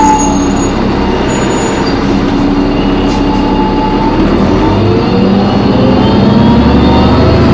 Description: This New Flyer had a very horrible screeching sound coming from the brakes or the transmission so turn down your audio so your ears won't suffer damage.